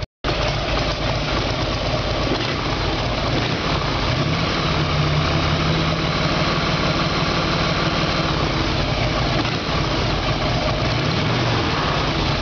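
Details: Evolution Sportster after carburetor fix, with plug problems suspected as the earlier backfire cause: even, steady V-twin idle with a loping beat and no pops or backfires; runs clean.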